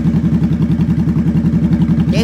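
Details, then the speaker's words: Motorcycle at idle, throttle untouched, choke off, no warning lights: steady, even low thump firing evenly with no misses or ticks; normal idle. "is what the bike sounds like at what you call idle. Idle means I'm not touching the throttle."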